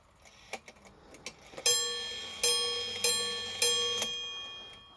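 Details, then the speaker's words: Badische striking alarm clock after repair, cold day: light ticking then four clear, evenly spaced bell strikes for 4 o'clock; hour strike sounds correct and healthy. "Okay, that's good. That's half past. Let's do 4 o'clock. And then we'll test the alarm."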